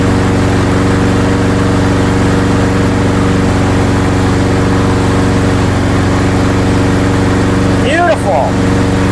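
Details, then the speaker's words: Craftsman mower with Briggs & Stratton engine after repair, primed and started with a light pull after one failed try: steady, even putter with constant pitch and no misses or surging; working perfectly, though its oil is completely black. "It is working perfect. Yeeha. That is great."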